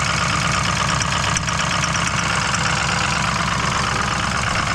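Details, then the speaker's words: Freshly rebuilt Ford Powerstroke diesel, under boost while driving: rough, uneven knocking rattle over a loud diesel idle, about two per second; abnormal engine knocking, cause not yet found. "oh uhoh something doesn't sound good whatever that is is not good"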